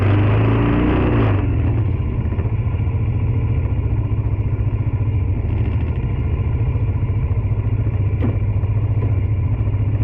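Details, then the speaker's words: Tao Tao 110cc ATV quad after new carburetor and intake replaced, started on jump pack with choke: small single thumps steadily and evenly after a brief blip, running clean, breathing better than old carb; normal running. "Sounds a lot better than the old carb that I had in there. Obviously better intake, it's breathing better."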